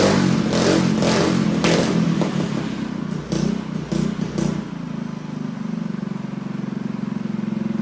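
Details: Freshly built Honda GX200 clone go-kart engine, choke on: revs unevenly with sputtery bursts then settles to a ragged weak idle; carburetor needs jetting, owner plans to bump up the jet.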